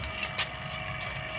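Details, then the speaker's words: Vacuum pump evacuating a refrigerator after an evaporator patch repair: steady, even drone with a constant whine and no gurgle or hiss of air; the system is pulling a clean vacuum. "suara untuk vakum itu sendiri sudah bersih ya tidak ada suatu Kompleks lagi tidak ada udara 100 ya suara udara ya"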